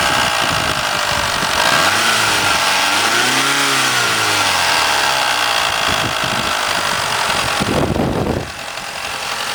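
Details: Mitsubishi 4G63 revved up and down, alternator and power steering removed: rough whirring chatter rising with speed, strongest 2000-3000 rpm, quieter above 4000; owner suspected silent shaft, actually a bad timing belt tensioner.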